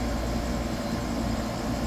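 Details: Freezer condensing unit restarting after its time delay, during a check of why ice cream melted; pump-down and defrost timer power test fine. A steady low hum with even drone and no knocks or rattles: normal running.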